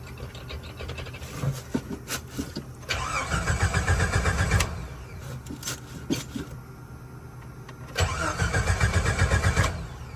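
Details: 1988 Jeep Wrangler YJ after conversion to an electric fuel pump: starter cranks in bursts for several seconds without catching, probably because the carburetor bowl had run empty, then it draws fuel; the accelerator pump is suspected not to work.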